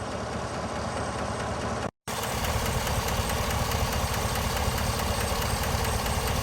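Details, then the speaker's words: 2017 Chevy Silverado 5.3 V8, warm after about 40 minutes idling: a light, fast, fairly steady tick over a smooth idle. A mild internal issue, lifters suspected but not confirmed. "I just want to come and double check it and see if the ticking has gotten worse it's definitely there"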